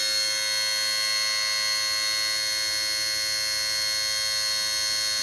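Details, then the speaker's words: Mercedes SLK230, key on, engine off and warm after a drive: steady shrill buzz with a faint fast pulse from low near the radiator, with a quieter secondary hum; suspected valve or solenoid chattering, not the compressor per stethoscope, and new since a shop visit. "I'm not sure what's down there that's trying to turn or trying to do something. Some kind of valve or solenoid or something. Sounds like it's just going nuts. As you can hear, that's a pretty obnoxious sound."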